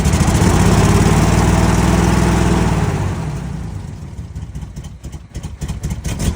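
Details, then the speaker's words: 2007 Dodge Nitro jump-started, having backfired on starting: loud, uneven running that sags and stumbles with irregular popping as it fades; misfiring and running rough, and it nearly cuts off when put in gear. "She is starting, but doesn't want to. Keep it running long enough to put it in gear."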